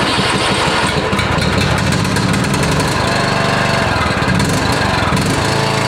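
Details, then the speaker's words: 2010 John Deere LA115 riding mower, Briggs & Stratton engine, 204.6 hours, starts hard, puffs blue smoke, oil from fuel pump: loud lumpy uneven exhaust beat; blown head gasket, again. "let's get to the video and see first of all how it starts hard and when it does start it puffs blue smoke"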